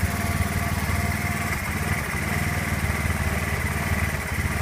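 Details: Honda Zoomer-X motorcycle after fuel pump motor replacement, fuel pressure holding about 3 bar at idle: small single-cylinder engine at fairly steady idle with low putter, no stumbling or dying; normal idle.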